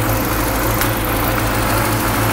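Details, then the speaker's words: Classic Mini Clubman campervan, first start after a fuel-feed problem (tank pressurised by blowing into it so the pump gets fuel): engine idles slightly lumpy and uneven but with no taps, knocks or bangs; mechanically sound, rough idle. "oh that doesn't sound too it it's running a bit lumpy but it sounds sweet mechanically there's no taps or bangs or anything no it sounds nice ace what a relief"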